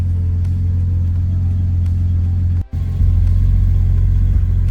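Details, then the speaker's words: Datsun 280ZX Turbo (L28ET), AAC valve blocked off and idle set manually at the throttle stop; warm engine at about 850–900 rpm, check codes cleared; deep, even rumble with no misses or knocks, responsive; normal warm idle. "all right so we got it to right about 900 850 it's warm it's getting pretty warm it actually is uh pretty responsive"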